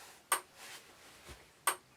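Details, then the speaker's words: Electric fence energizer, swapped in to replace one reading only 0.3–0.4, pulses with sharp, even single ticks about 1.35 s apart in a quiet room. Output reads 13.8–14 through the switch and feed line, with the North lot switched off. Normal pulsing. "I'm still getting thirteen point eight so I'm still getting thirteen point eight fourteen and that is going from here through that switch through the feed line to the North law"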